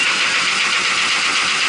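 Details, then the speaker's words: Marley cooling tower fan Geareducer (differential gearbox) running with extremely loud noise: steady, harsh, hissing roar with no low rumble; defective gearbox, to be removed and taken to the shop for repair. "This was the one that I had a issue with the differential gearbox making extremely loud noise."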